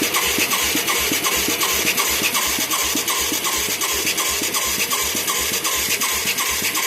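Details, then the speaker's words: Mid-1980s Yamaha YFM200 Moto 4 with a new carburetor and plug: the starter churns about three beats a second with no firing. There is good spark and it is soaking wet with fuel, the mixture is badly off, and a wrong jet is suspected. "I'm amazed we're not getting a pop here. We got good spark. We got soaking wet shit right here."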